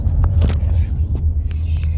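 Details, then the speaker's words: Lexus RX350 after replacing the steering motor's damper cushion, cleaning out debris, and fitting a new airbag ribbon and steering angle sensor, driving over an interlock road and bump: only low road rumble, no rattle. "There's no noise at all. I'll be going over a bump very soon. And you will hear that the noise doesn't come up."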